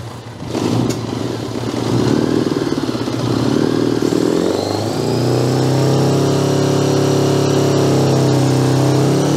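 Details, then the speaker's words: 1982 Honda GL1100 Goldwing sat 12+ years, throttles forced partly open: catches and stumbles into a lumpy labouring run; old fuel gumming the carburetors, heavy exhaust smoke. "Now the carburetors are so gummed up, we can't open the throttles. Got a couple of cylinders anyway. Means the rest of them will probably come around."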